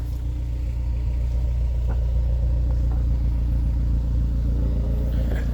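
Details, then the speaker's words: 2004 Honda S2000 at 109,757 during pre-purchase inspection, heard from passenger side: steady low rumble, even unhurried beat, nothing knocking or ticking, no smoke at startup; idles smoothly and sounds healthy. "We're gonna walk around to the passenger side and we can hear it running for a minute. It seems to run pretty smooth. I don't hear any real issues."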